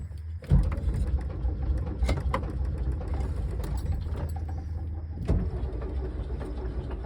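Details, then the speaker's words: 1968 VW double cab transporter that sat 5 years, first run on gas shot in and then fed from a jerry can: steady low idle with sharp, irregular, nasty knocks. The noise is intermittent and its cause is unknown. "Well, sounds like pretty nasty knocks. Yikes. Pretty noisy."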